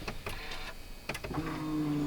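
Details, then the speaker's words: Turbo Toyota GR86, port injection only, new Deatschwerks 300c fuel pump and 1050cc injectors: at key-on a few clicks, then a loud steady electric hum that stops right away; normal fuel pump priming. "Yeah, it's fuel pump. Shit's loud. But it stops right away."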